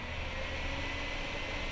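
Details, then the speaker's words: 2008 iMac, room about 69°F, one Safari window open, fans already replaced: noise from the back starts seconds after waking, steady loud airy whoosh with faint constant hum; fans running flat out, cause suspected, not confirmed. "Here we go. The fan noise has begun. It's coming from the back."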